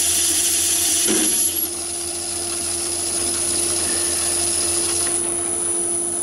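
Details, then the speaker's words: Myford ML7 lathe with 100mm (four-inch) chuck, cutting about 100 thou by hand: steady even hum and high whine with no rattle or judder, no vibration, excellent finish, no chatter. "that's about 100 pounds and no vibration at all so it's producing an excellent finish even at that depth"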